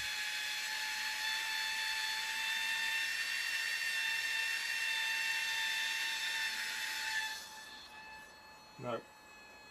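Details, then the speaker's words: Suspected slipping gear on an Air Hogs Wind Flyer toy plane's motor, fed directly from a 2.7 V supercapacitor: thin, steady high whine of the small motor spinning freely, then winding down, without driving the propeller. "it you can hear a motor spinning without the propeller while she's really annoying you must be one of the gears is spinning or slipping"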